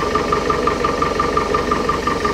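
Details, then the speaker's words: 1968 Starcraft Islander, Mercruiser 120 hp four-cylinder, after new water pump, timing cover, PerTronix electronic ignition, plugs and wires, timing set to specified 8 degrees at idle: smooth steady idle, even light tick about six per second, no misfires or hunting. "kicks right off and runs beautiful it ran a little started a little hard the first time i started it"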